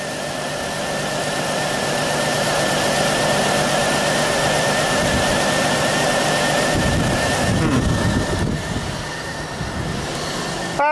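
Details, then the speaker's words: 2000 Pontiac Bonneville, cylinder 3 misfire persisting after swapping in a coil pack from another car; owner wonders about injector, ignition module or bad plug: uneven, stumbling idle beat that comes and goes; cause unconfirmed. "crystal she's jumping around I guess it could be as simple as a bad plug too"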